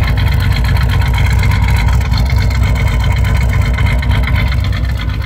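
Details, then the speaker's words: 1989 Chevrolet Celebrity 2.8 V6 with built cam, lumpy misfiring idle hot or cold, clears when revved or in gear; vacuum leaks at EGR, throttle body and intake checked with none found; owner suspects EGR valve. "motor's shaking you rev it up and it goes away right back in idle cutting up again i don't get it"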